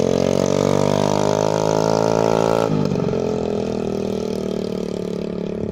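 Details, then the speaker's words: 2013 TaoTao 50 scooter with CVT, custom exhaust, bigger carburetor, pod filter, new fuel lines and filter, new coil and NGK plug, running rich: clean buzzy rev climbing smoothly and falling evenly with occasional pops; healthy running. "you can see in here it runs perfectly that means that the CVT transmission works the clutch engages everything on it works the engine makes enough power"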